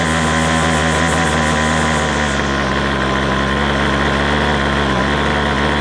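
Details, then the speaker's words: McCulloch 250C XL X-series two-stroke strimmer with a suspected carburettor blockage. It holds a steady high fast-idle buzz with a slight waver, but only on choke, pointing to a lean fuel supply. Cause suspected, not confirmed. "don't want to run off the choke, which means we might still have a block somewhere."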